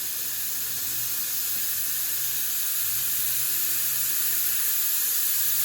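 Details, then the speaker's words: Pressurising the intake with shop air on a truck just fitted with a 48RE transmission, a loud steady hiss of escaping air builds at about 20 lb; boost leak traced to one swollen boot, other connections quiet. "basically fill this [ __ ] with air there we go then we watch her go up you can hear the leak"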